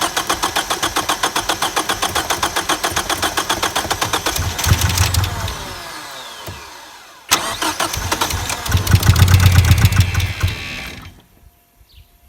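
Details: 1989 Ford Probe GT parts car, after incremental ignition repairs; cranks with a steady churn, then catches and stumbles unevenly, dying and refiring roughly. Misfiring rough start; mouse-chewed fuel injector plugs found afterward.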